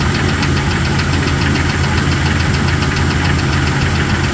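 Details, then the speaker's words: Jeep Cherokee XJ, cold start: engine idles with steady light metallic tapping about six a second over a low rumble, gradually worsening over time; owner rules out rod bearings, suspects lifter tap or piston slap; unconfirmed. "She starts right up, but as you can hear, yep, it's got a little tapping. Doesn't sound great. I'm not quite sure if it's tapping like a lifter tapping or a knock, like a rod knock, or a piston slap."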